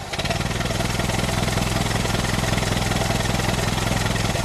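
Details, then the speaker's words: 1925 Ford Model T four-cylinder, just hand-crank started with spark retarded and throttle barely open: uneven, lumpy chuffing about two beats a second; rough running with little power and wasted fuel until the spark is advanced. "advance always important once the engine's running remember to advance the spark otherwise you will have very little power and you'll be wasting fuel"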